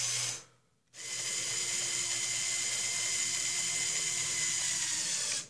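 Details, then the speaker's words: LEGO Technic Volvo L350F (set 42030) Power Functions motor raising bucket: high thin whir shifts tone as it strains approaching the top end stop; normal warning before hitting the stop, not a fault. "so that's telling you that you're getting ready to hit the stop so you can avoid the stop by just listening to that"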